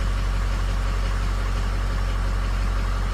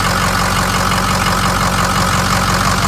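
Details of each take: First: 550 bucket truck diesel at idle, batteries at 12 volts: steady, fairly smooth deep idle at nearly four pulses a second with slight unevenness. Injectors on cylinders three and four are weak, shown with compensation shut off; the others compensate. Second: 550 bucket truck diesel at idle after oil pump work, oil pressure switch unhooked: steady, even low chug about two pulses a second with no popping or misses; suspected popping was not confirmed, and it sounds healthy.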